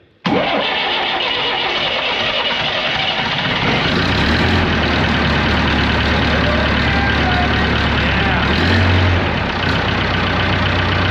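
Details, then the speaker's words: Diesel dozer started after injection pump work, a new filter and a fuel treatment: it catches instantly and holds a steady, slightly clattery idle with an even beat. It has always been a little smoky and noisy; it sounds like it used to. Normal start and idle. "I'm not saying she's like a kid, but she sounds like she used to before. It's uh it's always been a little smoky and a little noisy, but she's a running outside without getting stuck."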